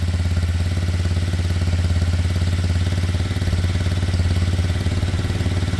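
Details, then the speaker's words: Kymco Zing 125 single-cylinder after running issues sorted, pre-MOT test run: even, steady beat with no knocks, rattles or misses; idle slightly high, to be readjusted, otherwise running smoothly and healthily. "Sounds great. Idle might be a touch high, but I'll readjust it when I get back."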